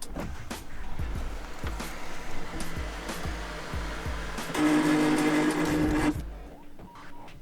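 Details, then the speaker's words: Audi A8/A6 sunroof motor, headliner panel removed, while trying to open the sunroof: irregular clicking, then a harsh buzzing drone for about two seconds; noisy sunroof motor, replacement suggested as the proper repair. "just giving that noise and the best option to repair that one would be just to remove replace that motor but like i said it's quite expensive"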